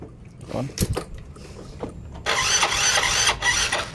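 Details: Yamaha Mio J fuel-injected scooter that arrived dead for a week with a flat battery, now recharged: a few starter clicks, then the engine catches and runs with a busy, even buzz, starting and running normally.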